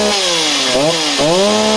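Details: Stihl MS260 project chainsaw, two-stroke, about 48cc: revs sag and hunt twice, then pick back up, unsteady at low speed. Great top end; owner suspects it is leaning out down low. Fuel pipe and pickup appear fine, cause unconfirmed.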